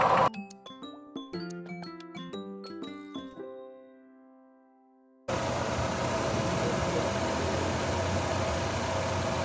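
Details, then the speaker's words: 2011 Chevrolet Lova petrol idling after a carbon-cleaner decarbonizing treatment that removed heavy carbon from the pistons and cylinder heads; the spark plugs were also cleaned. Knocking is greatly reduced and almost inaudible, leaving an even idle with a faint injector tick. "itu knockingnya berkurang jauh banget. Bukan hilang sepenuhnya, tetapi berkurang sangat banyak berkurangnya. Jadi bisa dibilang hampir tidak terdengar knockingnya."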